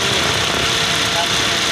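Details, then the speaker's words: Toyota Vios radiator fan motor at high speed: loud steady hiss-roar with a thin high whine over the rush of the fan; worn fan motor bearing, noisy only sometimes, fan to be removed and replaced. "ah fan talaga fan sobrang ingay yung bearing nito sobrang ingay yung fan niya malakas si kaso maingay pag maging"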